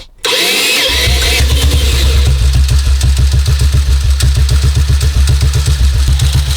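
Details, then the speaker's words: 1952 BSA M21 single idling with no added revs, ignition timing at 36: thumps at about four beats a second but unevenly, lumpy and hunting. Erratic idle from incorrect ignition timing; cam timing is known not to be exact. "Because that's more erratic that way, isn't it? Yeah. The idle isn't as smooth."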